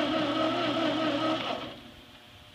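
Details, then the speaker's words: Ford 8N tractor that sat 4–5 years, in neutral: the coil has power and carb cleaner was sprayed in, but it turns over evenly for about 1.5 seconds and won't catch. No spark is suspected, most likely from the points. "I'm thinking we don't have any Spark so most likely we got problems with the points"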